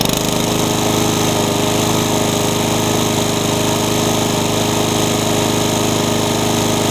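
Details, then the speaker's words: Honda pressure-washer engine fitted to a lawn mower runs loud and rough with a lumpy, labouring chuff near four a second. It pumps black smoke as if flooding and sounds rich. Two carburetors and the coil have been swapped; the cause is unconfirmed. "You could probably hear it run before. It didn't sound very good. It was pumping out black smoke like it's flooding."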